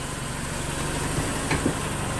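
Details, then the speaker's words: Dodge Neon after the bad torque converter was fixed and 10 quarts of transmission fluid added: smooth, even idle with no stumble or dying, and no more stalling. "you have to go about 40-45 before it goes into overdrive that no more stalling I am so excited to have this done"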